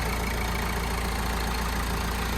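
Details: Citroen Berlingo van, about 160,000 miles, just after a timing belt and water pump change, coolant circulating but not yet warm or bled: a smooth, steady idle hum with an even beat and no knocking or belt squeal. The idle is normal.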